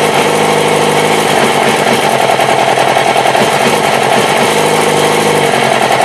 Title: R6 rough idle